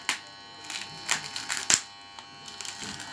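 A thin, high-pitched electrical buzz comes and goes in short uneven bursts from the handset, with no clear cause.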